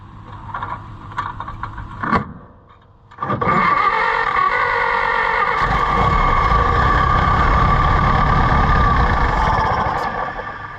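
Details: Allis-Chalmers WD tractor (WD45 engine, or the reverse): short cranking tries then steady spin about three turns a second, never fires even on starting fluid or brake clean; owner suspects no fuel getting through, carburetor rebuild needed.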